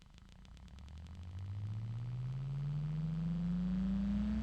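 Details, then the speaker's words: Replacement bgears b-Blaster 140x38R PC case fan, replacing one with broken bearings, spins up with a smooth rising hum and no grinding or rattle; it is much quieter. "okay so it's a lot quieter and I'm happy about that"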